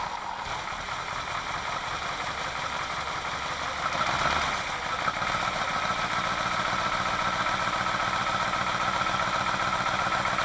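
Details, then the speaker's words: Alfa Romeo Montreal V8, first test run after head gasket repair, valve stem seal replacement and Spica pump drive bearing work; steady mid-pitched idle with a brief blip, no misfire or knock, no fuel leaks; running smoothly. "put the ignition on and for it okay we ready to crank Oh fire yeah fuel is coming this doubles in the pond no leak so far"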